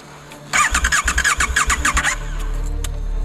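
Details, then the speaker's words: Motorcycle stranded in Alaska that never did this before: the starter churns in quick even pulses, about eight a second, but the engine never catches, with only occasional pops. Crank, no start. "Sepeda motor tidak mau hidup. Maksud saya starter akan dibalik, dan berbunyi, "Vavoom, vavoom, vavoom." Sepeda tidak mulai."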